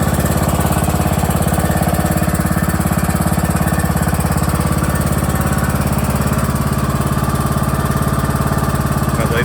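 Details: John Deere E100 lawn tractor idling with parking brake set and PTO disengaged: even, steady low thumping at constant pace, no misses or knocks; engine running smoothly and healthy.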